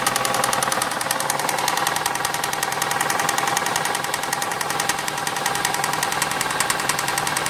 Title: St220 3.0 v6 24v engine has a knocking noise